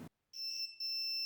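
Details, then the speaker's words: Multimeter in continuity mode testing a wire or connection: clean steady high beep with one short break, confirming the wire or connection is intact. "Continuity mode checks if a wire or connection is still good inside. If all is okay, you will hear"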